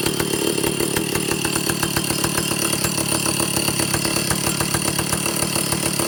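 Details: Vintage Stihl chainsaw, second test run after air leaks fixed, initial carb settings high 3/4–1 turn, low 7/8–1 turn, idle target 1,800 RPM, top no more than 10,000; choke and decompression on at start. Choppy, uneven buzz that won't rev out; owner suspects carburetor third circuit.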